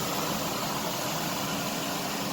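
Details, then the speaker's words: Rebuilt wrecked 2005 Mazda Tribute, engine cleaned up, idling evenly and steadily with no knocks, misses or vibration; owner says it runs perfect and super smooth, normal idle. "And as you can see, she is running perfect. No vibration. She just runs, man. She just runs. She sounds good. There ain't no vibration. She is super smooth."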